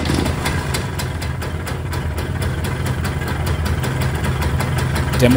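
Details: MZ ES 150 two-stroke after full engine overhaul, points gap 0.3–0.4 mm, timing 3 mm before TDC, first start before running-in: steady popping idle about four beats a second, slightly uneven but clean and healthy.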